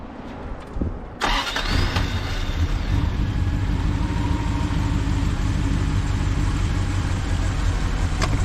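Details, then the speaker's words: 1973 Triumph Stag V8 with Holley four-barrel conversion, after tune-up and new stainless clutch hydraulic line, first start in two days: brief cranking, catches at once, steady even idle with no misses or knocks; normal cold start. "Well, that's not bad. First time I started it in 2 days. Fired right up."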